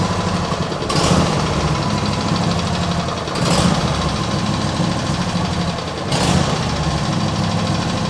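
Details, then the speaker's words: Cold small petrol engine with automatic choke at idle: note swells and sags about every two and a half seconds, surging idle; owner suspects water in fuel after washing or choke; carb never cleaned, cause unconfirmed. "Nah, we got something else going on here. Maybe when I washed it, I accidentally introduced water into the fuel system or something."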